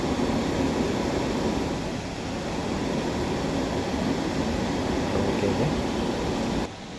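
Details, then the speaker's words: Newly finished two-burner gas stove with the gas line pipe, nozzles and burners just fitted, run from a small gas cylinder for testing, each burner checked in turn and the second opened full; even, steady flame roar with no popping, sputtering or whistling. Normal burner flame. "First burner check ಮಾಡ್ತಾಯಿದ್ದೀವಿ, ಎಲ್ಲ ಚೆನ್ನಾಗಿ ಬರ್ತಾಯಿದೆ. ಇವಾಗ second ಬಂದು check ಮಾಡ್ತೀವಿ. Second one ಬರ್ತಾಯಿದೆ ಚೆನ್ನಾಗಿ, full ಬಿಟ್ಟು ನೋಡ್ತೀವಿ ಬರ್ತಾಯಿದೆ"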